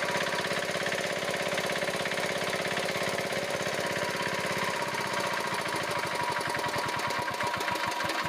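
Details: Diesel engine idling steadily with even chuffing at about three beats a second, no loose tapping or huffing, after tightening and resetting the rocker-set adjusting nut that had caused puffing through the air cleaner and white smoke; it runs healthy.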